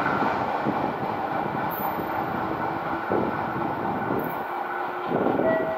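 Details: JR West 221 series set K09 on the Kosei Line, local to Kyoto, passing Ōtsukyō Station (2022-11-06): dense rolling rumble with repeated heavy thuds from wheel flats.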